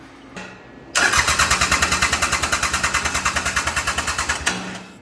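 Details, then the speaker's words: Mitsubishi L3E three-cylinder diesel, about 20 hp, powering a log splitter, being rebuilt after zero compression in the middle cylinder. Compression-test cranking gives even pulses with none missing, reading a little over 400; rings not yet broken in. "Little over 400, but like he said, the rings still aren't really broken, so that might get better, but that's decent."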